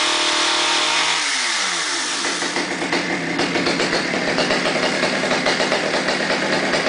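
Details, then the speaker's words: Stihl 009 chainsaw on stabilized gas, after sitting 3–4 months: high buzzing run drops to an even, steady two-stroke idle with no stumbling; idle good, runs fine. "goes idle's good same brake [Music] works"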